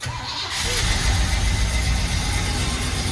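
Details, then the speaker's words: 1981 Oldsmobile Delta 88 V8, cold start after a lifter tick fix and the choke leaned slightly open to cure hard cold starting: the starter whirs briefly, then the engine catches fast and settles into a steady idle; a healthy cold start. "that's how it should start stumble a little bit but then come back now we got the choke set up nice beautiful"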